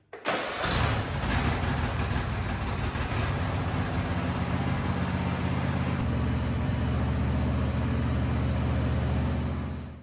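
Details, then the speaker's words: Husqvarna riding mower (believed a 2554, barn find) started to warm the oil before an oil change, ahead of fitting new air and oil filters: quick crank, catches at once, settles into a steady even low rumble; healthy start and idle. "I am gonna go ahead and start this thing, let it run for a little bit, let it get that oil heated up so it'll drain a little bit easier for us."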